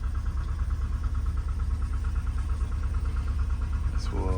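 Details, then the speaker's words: Volkswagen Vanagon stock 2.1L engine, cold start in icy weather: lumpy uneven idle with a loping beat about twice a second and dull knocks, bangs; runs okay once warm, cause unknown. "after it warms up seems to run okay boy the first few minutes runs knocks bangs doesn't want to idle very"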